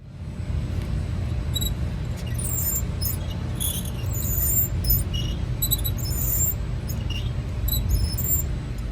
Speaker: wear indicator is a little warning signal that causes a scraping noise uh when it hits the rotor when your brake pad's getting too low so right here you can see that it's getting pretty close it didn't touch the rotor but if that was touching the rotor you'd hear a Squealer noise like you hear in this video right here